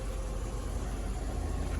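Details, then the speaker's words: 1998 Oldsmobile Aurora V8 warming up: low, soft, even rumble with no surging, misses or ticks; check engine light and low coolant warning still on despite full coolant, owner suspects a sensor; normal idle. "Got a lot of coolant in it, so maybe it's just a sensor. Sounds so good. I wonder what a coolant temperature sensor that on here. So yeah, it sounds so good."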